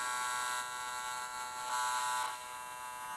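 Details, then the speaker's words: Harsh, steady high-pitched buzz from cheap RC plane servos held still on an Arduino gyro stabilizer; they get hot. The cause was servo pulses sent too fast at 250 Hz from unchanged YMFC code, plus a bad connection. "got a horrible buzzing noise and I can move them a little bit but then they just the whole thing just resets"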